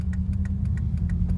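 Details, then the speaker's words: Subaru Forester EJ251, driving under load: sharp regular knock about six a second over engine drone, going away under load around 2,000–2,800 rpm and disappearing in neutral near 1,000 rpm; owner suspects rod knock, not valve train, unconfirmed. "it's really only under load so I really don't think it's a valve train issue it to me in all seriousness of sons like rod knock and my buddy homebrew Subaru said it sounded like it as well"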